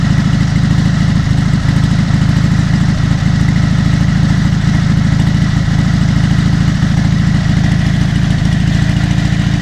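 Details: Dnepr MT-11 solo boxer twin on trial start after ignition (BSZ commutators and coil) repair and full rewiring, carburetors not yet adjusted: steady, even low thumping idle, about two hundred beats a minute, no misses or knocks; running normally.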